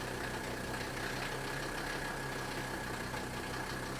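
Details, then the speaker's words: 1977–1985 Mercedes diesel with vacuum shut-off: smooth, even idle with a steady low clatter and no knocks or hunting; normal running, shown as reference before a 1-second key-off shutdown. "But if you're having problems with your diesel shutting off, either being real slow to shut off, and you're not sure if there's a problem or not, listen to this one. This is how it should sound."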